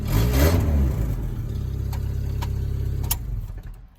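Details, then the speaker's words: Chevy S10 drift truck in neutral after a tune-up with new plugs, wires and coil; a deep, loud exhaust blip settles into an even, steady idle with no knocks or misses. It sounds better than ever since purchase. "Hey, yo, this truck ain't never fucking sound like that since I bought it."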